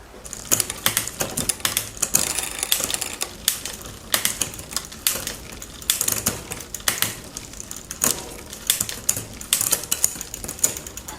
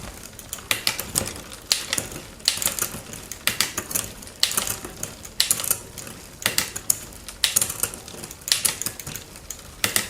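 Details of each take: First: Raleigh Detour 2 bicycle after new derailleur hanger fitted: sharp irregular chain clicks and clatter while pedalling, never settling cleanly into gear; rear derailleur mis-shifting, suspected partly worn shifter indexing. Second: Raleigh Detour 2 bicycle after derailleur hanger and shifter replaced: crisp quick clicks in tidy bursts as the chain steps across cogs, no grinding or hesitation; normal indexed shifting.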